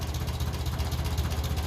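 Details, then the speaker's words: 1957 Ferguson 35 TVO tractor idling after a cold start, slow regular low thuds with a thin dry note; idle mixture too lean, needs another quarter turn richer as engine warms. "so it definitely needs another little bit of juice because I did come out a little bit another quarter turn"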